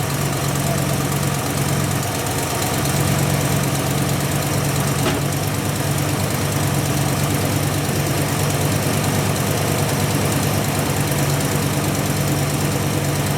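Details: Ford Mustang with a 347 V8 rebuilt last fall, carbureted, just started after winter storage: steady, even idle with a smooth low rumble, no misses or knocks; sounds healthy.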